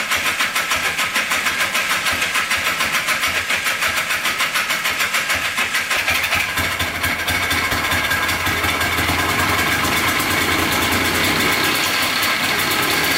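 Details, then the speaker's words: $250 Polaris Trail Boss 250 4x4 ATV, new starter, carburetor cleaned: catches after cranking, runs ragged with uneven firing and metallic rattle; teardown found piston skirt completely broken off, metal chunks and shavings, bottom end likely contaminated. "let's check out the piston here it is very rough there's all metal shavings and stuff in there the whole skirt is just completely off of it that is insane so those were those big chunks the whole piston skirt"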